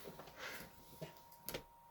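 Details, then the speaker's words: Vintage PlayStation 1 with disc inserted after reset: faint irregular light ticks in a quiet room, only a few over two seconds; optical drive struggling and not reading the disc. "ticking noise nope this up and we'll check maybe it could be i don't know another issue see if we could i mean it's struggling you can hear it"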